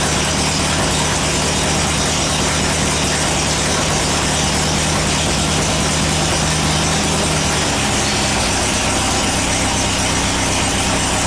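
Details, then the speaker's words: Air-cooled VW after transmission work: loud busy engine with gear whir and clatter, note changing with each shift through all four forward gears and reverse, no crunch or grind. "well it shifts through all four forward gears in Reverse works either side doesn't crunch doesn't grind"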